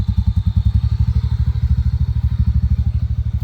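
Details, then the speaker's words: TVS NTORQ scooter with loud noise from the fan/belt side: low, steady rattling thumps about two and a half a second; a loose one-way clutch nut suspected, needs fixing. "आज मैं जाने वाला हूं अपनी एंटtorर्क को लेके इसका one way sound को फिक्स कराने के लिए।"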